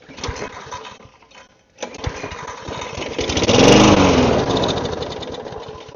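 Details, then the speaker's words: Neglected pull-start small engine, fuel system suspected: chuffs, then catches on sprayed carb cleaner, revs about two seconds and dies. Spark confirmed; suspects something else still needs cleaning, fuel level being checked. "Yeah. So there is spark. Something else needs cleaned."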